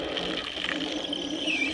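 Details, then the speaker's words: DIY deep well hand pump driven by a 24 V wheelchair motor running on 12 V (about half speed), chain drive with idler and fiberglass sucker rod: steady even high whir, no knocks or grinding; normal running. "let me turn it on and show it to you well here it is running I'm trying to get back to the noise isn't too bad fiberglass sucker rod makes up for the bend in it"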